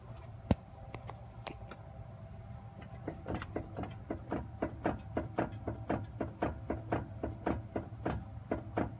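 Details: Jeep JLU driveline at low speed in lower gears with throttle changes: sharp metallic knocks over low drivetrain hum from transfer case to rear axle; owner unsure if normal.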